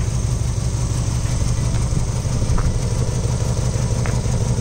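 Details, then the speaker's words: Mazda Miata idling: uneven, shaky low idle with irregular lope around two pulses a second, engine shaking; rough running, suspected wiring or flooding, cause unconfirmed. "I don't think you should rev it up to be completely honest since it's not running well"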